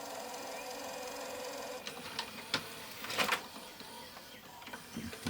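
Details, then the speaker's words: Auction-bought Panasonic PV-V4521A VHS VCR, playing an Apollo 13 tape: irregular bursts of harsh clatter and grinding over a faint hum, stop-start; tape mechanism struggling, cause unclear. "okay turn her on oh oh she's really throwing a fit now"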